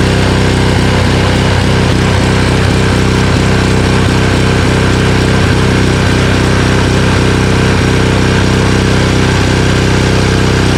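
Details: Honda Harmony HS520 four-stroke single-stage snowblower after carburetor clean, off choke, with governor spring and idle screw adjusted: single-cylinder putters at a steady beat, about four pulses a second, no hunting or surging; runs healthy.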